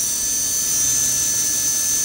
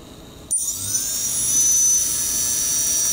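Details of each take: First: Blackout Mini H quadcopter, fourth brushless motor during OpenPilot controller calibration after the slider is moved one step over: clean high whine holding one steady note with no wobble; motor now stable. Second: Blackout Mini H quadcopter, fourth brushless motor during OpenPilot controller calibration: high thin whine wavers rather than holding a steady pitch; motor not yet stable until slider is moved one step further.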